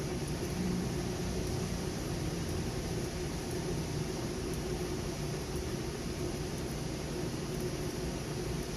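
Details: Trane AC condenser newly replaced fan motor, after burnt-out original: even, steady rush of air with low smooth hum and no rubbing, ticking or wobble; running normally.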